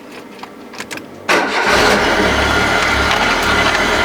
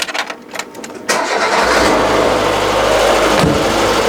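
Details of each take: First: Citroën BX first start after cam belt change: engine catches and settles into fast idle with a thin squeal; the hydraulic pump belt is loose and slipping and needs tightening. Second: Citroën BX engine with accessory belts removed from hydraulic pump and generator to rule out water pump, idler or tensioner: starter churns, then steady even idle with the earlier grinding gone, suggesting the noise came from the generator drive; normal idle.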